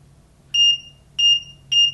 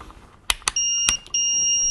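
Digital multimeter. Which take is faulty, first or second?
second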